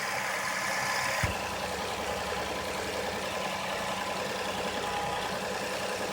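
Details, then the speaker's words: 2005 Toyota Sienna at idle after a spark plug change: quiet, steady, even idle hum with no misses or knocks, sounding smooth and healthy; normal idle. "it is you can hear the engine running hopefully so smooth everything looks nice"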